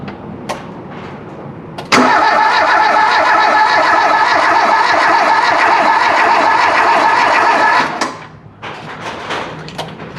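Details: Volvo 340 abandoned 25 years, ignition being checked (crank sensor, condenser nearby): six seconds of brisk, even cranking at about three and a half turns a second without a single firing stroke; no ignition spark.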